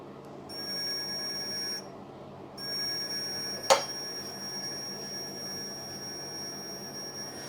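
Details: 1968 BSA Bantam ignition timing setup, continuity tester across the points while turning the engine backwards from top dead centre, about five degrees before TDC: steady high-pitched beep, briefly dropping out; points still closed.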